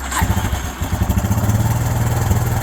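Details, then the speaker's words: Four-wheeler after replacing failed starter solenoid with new connectors: brief crank then catches into an even quick single-cylinder putter about ten beats a second; starts and runs fine, wires, starter and battery good. "There it is. She's a runner. All the wires are good. Starter's good. Battery's good."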